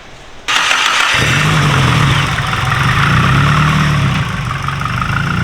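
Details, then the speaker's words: Nissan S15 after removing the failing VTC/VCT cam gear that made loud clacking: engine cranks, catches and settles into a steady even idle with no clacking, sounds better; slight top-end noise remains, attributed to sitting, normal idle. "No VTC. It sounds better. It definitely sounds better. Yeah. There's still a little top end noise, but it's been sitting for a while."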